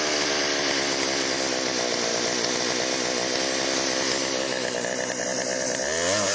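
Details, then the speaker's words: Chainsaw after Texas ice storm: crisp steady high-pitched two-stroke buzz with even revs, no stumbling or misfire; could be fine-tuned but ready to go, bar oil pumping. "well that's pretty good i can fine tune that but i think that one's ready to go"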